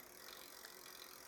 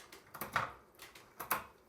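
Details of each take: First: Lectric XP 2.0 e-bike with upgraded Shimano Acera rear derailleur, 7-speed: barrel adjuster backed out, overtight shift cable makes light quick clicking and rattling at the rear cogs and shifts up into a bigger gear; excess cable tension. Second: Lectric XP 2.0 e-bike with upgraded Shimano Acera rear derailleur, after loosening cable tension by screwing in the barrel adjuster: crisp single light clicks, each gear engaging cleanly without grinding or chatter; shifting properly adjusted.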